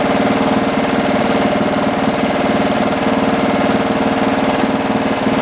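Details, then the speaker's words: John Deere 112 round fender with K181 single-cylinder engine, after new carburetor and governor/throttle linkage adjustment so it throttles up: steady even thump holding speed without hunting, running normally; idle may need lowering slightly. "got it running again let's try it out this time [Music] [Music] so cool i think we need to lower the idle a little bit"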